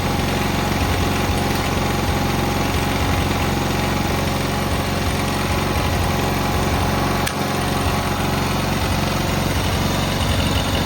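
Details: Cub Cadet 682 tractor with Kohler KT17 twin, started first try after jumping the solenoid: a steady, even beat at constant speed with no misfires or knocks; running healthy.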